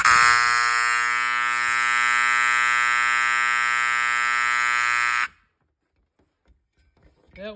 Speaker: this one's actually one of the loudest ones I have in my collection you can hear this one really far away